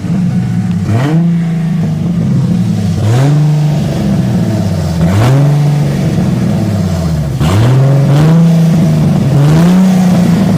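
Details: 1998 Mustang 3.8L V6 with rough idle after split-port swap: loud idle surging and sagging about every two seconds, never settling; rough hunting idle, cause not yet clear.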